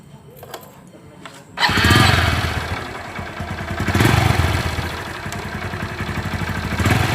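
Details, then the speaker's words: Honda CB110 motorcycle before tune-up and valve clearance adjustment: fires after a second and a half, then idles with a busy, clattery top-end rattle over the beat; engine noisy, cause unconfirmed. "Kamotogong, maingay. Tutunap na natin siya mga kamotogong."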